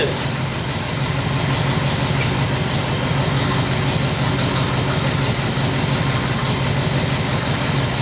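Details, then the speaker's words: 1960 Pontiac Bonneville V8 with AFB carb: uneven loping idle with irregular firing pulses; running rich, with points dwell set far too high, read off the six-cylinder scale instead of the eight-cylinder one. "all right i figured it out it was i had the dwell way up i was going down i should have been going up"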